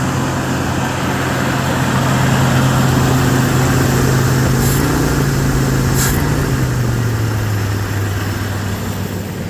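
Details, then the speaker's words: Carbureted Ford pickup V8, after a new accelerator pump diaphragm, idling as the choke kicks down: low steady rumble settling slightly lower in pitch, no misses or knocks; smooth normal idle. "After a little bit of monkeying around, it sounds pretty nice. Charging at 14 volts."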